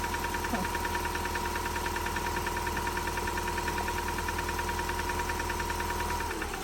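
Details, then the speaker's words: 2006 Subaru Forester with home-rebuilt engine (previously overheated, heads machined), first start without priming: faint irregular knock about once a second over steady idle with fan drone; won't rev; valve adjustment suspected. "Well, it won't rev. It's [ __ ] knocking, dude."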